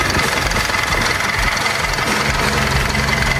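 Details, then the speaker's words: Isuzu N-series 4JJ1 diesel narrow-body 14ft truck, untouched Japan import still on Japan oil; steady even idle, clatter regular at about two beats a second with no knocks or misses, healthy. "Kaya mga kakatrakan na nakabukas ang makina, pakinggan ninyo kung gaano kakinig, gaano kaigit ang andar ng makina."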